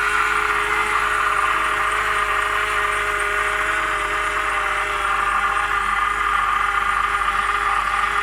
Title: BMW E90 323i 2009, Strange noise from engine.